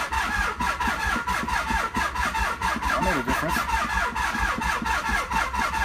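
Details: 1995 Nissan 300ZX, long unused after a crash, cranked through jumper cables: steady starter cranking at about ninety turns a minute with no catch or firing. Owner later finds no spark or ignition, with a slight gasoline smell.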